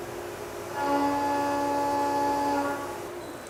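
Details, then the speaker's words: Stable end-milling test cut after an unstable chatter cut, with only the spindle speed changed between the two; a clean, steady tone holds through the cut with no rising screech or rattle, so the end mill is cutting stably without chatter. "We'll next complete a stable cut and you will hear the difference."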